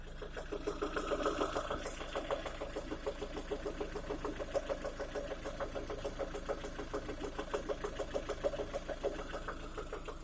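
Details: 2011 Lada Priora engine after piston kit replaced with gapless rings, at idle warmed to 60 °C and above: light, quick ticking about three per second over smooth idle; origin unclear, hydraulic lifter (compensator) mentioned.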